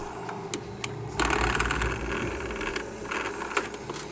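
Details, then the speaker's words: Logitech MOMO force-feedback wheel with driver installed: uneven mechanical rattle and whirring buzz from the drive motor under force feedback, very noisy; owner suspects a gear problem, not confirmed. "но шумный капец мне кажется что то не то будто шестеренка там подходит вот такой звук"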